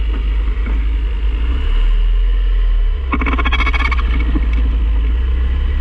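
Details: 2006 Mazda 3 hatchback, manual transmission, passenger-side inner CV joint. A steady low driving rumble, then rapid gritty ratcheting clicks under load. Confirmed as the CV axle, not the clutch or throwout bearing.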